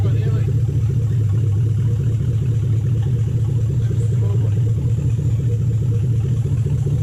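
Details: 2007 Toyota Hilux Vigo 4x4 with swapped-in 3UZ V8 and manual gearbox, first start after swap: deep V8 thrum with uneven, lumpy beat, about two pulses a second, running rough; right-hand side later ran properly after a fix, belt suspected.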